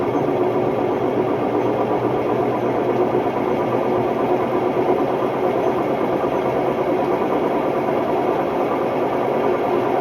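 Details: Hotpoint Ultima WMD960 washing machine on a test spin: loud, constant roaring rumble with a gritty rasp throughout the spin, no letup; worn drum bearings.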